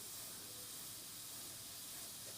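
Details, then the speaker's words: Inexpensive airbrush on a thinned paint mix at low pressure: a soft, even, steady air hiss with no spitting or sputter; really nice, normal atomization. "I mean that's really nice atomization really"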